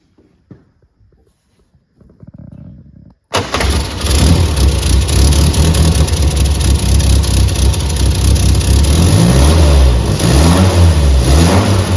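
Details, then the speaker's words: 1963 Austin Healey Sprite that ran rough, twin carbs reset to baseline with both jets sixty thousandths down, oiled, idle screws half a turn: catches quickly, steady fairly even low idle with slight beat, much improved; normal idle. "so that's a big Improvement of what we started with so now it's down really to fine-tuning"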